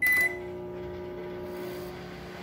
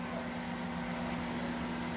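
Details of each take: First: Microwave oven running after repair: harsh, buzzy mains hum with a rough edge; the strange noise is blamed on the high-voltage capacitor, to be replaced. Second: Microwave running with a smooth low hum and fan whoosh, no strange noise, after replacing the capacitor that caused the odd noise though it measured correctly; now heating normally.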